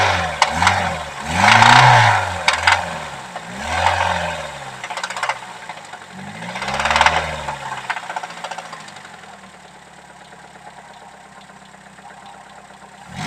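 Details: Nissan SR20DE engine noisy after ENI oil: rapid metallic knock over idle, swelling and fading with each rev blip, present at start and when warm; owner suspects a bearing shell (crank/rod bearing).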